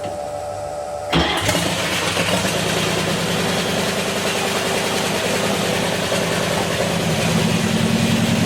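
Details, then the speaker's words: Restored 1932 Ford gasser truck, V8 engine that sat 40-plus years, first start with no coolant or fan belt, fan off: brief crank then steady even idle, no knocks or misses; oil pressure about 42, sounds healthy. "but that's good oil pressure yeah oh that sounded beautiful too"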